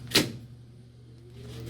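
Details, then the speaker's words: 63-ton CNC press brake, first power-up after wiring: contactor clunk, then a faint hum slowly rising in pitch as the cooling fan spins up and the controller boots. Normal fan start-up. "Hear the fan coming on."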